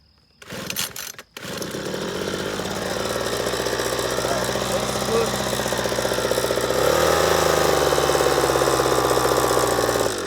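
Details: Leaf blower after rattling and vibration fix: steady even two-stroke drone with no rattle, rising cleanly in pitch as throttle opens; runs smoothly.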